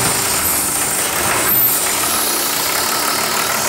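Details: 1984 Toyota LandCruiser HJ47 with a 2H diesel, run for the first time after sitting 19 years, glow plug system bypassed by a previous owner: steady idle with even clatter under a background hiss, no misses or knocks. It is running healthy.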